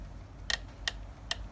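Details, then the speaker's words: Inokim Ox 800 W e-scooter after 113 km, stem rocked forward and back: sharp light ticks over quiet background; slack in the folding stem latch, shimmed with bits of paper. "So as I move it forward and back, there is a little bit of slack. There is a little bit of slack in there, and that's why I've put the those bits of paper there."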